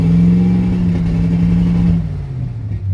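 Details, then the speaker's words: 1967 Chevy C-10 with a new carburetor, new fuel pump and new fuel line from the tank to the pump; revs up to a strong drone, then sags and cuts out at about 2500 rpm, cause still unknown. "just about 2500 rpms it just starts cutting out like you wouldn't believe"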